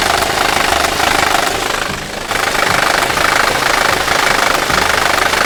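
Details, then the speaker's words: Third-generation VW 1.8 TSI / 2.0 TSI engine at idle: hard, diesel-like clatter from the timing drive end, rapid and uneven; attributed to failed cam phaser control valves (06L109257F/G). "сегодня мы вам расскажем про одну из самых популярных причин страшного звука так называемого дизель и не на двигателях 3 генерация"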